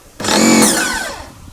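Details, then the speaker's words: Oleo-Mac PW 110 C pressure washer after replacing its unloader (bypass) valve, following a full valve and seal kit; motor spins up with a quick rising whine that settles as pressure builds fast and strong; normal pressure build. "Бачите, вона швидко набирає тоді тиск. І тиск в миці становиться доволі дуже-дуже такий потужний."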